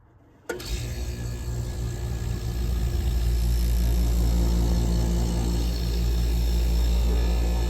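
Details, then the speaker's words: 1977 GE Superthrust air conditioner, salvaged and not yet cleaned, switched on to cool: sudden start, then a deep, even hum holding steady without knocks or rattles; compressor starts and runs fine. "like I said I did give it a test run already and this thing works absolutely fantastic even before cleaning"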